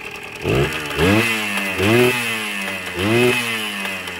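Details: Kawasaki KE100 two-stroke after new muffler tip, earlier hesitation falling on its face: ragged buzz rising and falling with repeated throttle blips, revving unevenly; air screw needs adjustment.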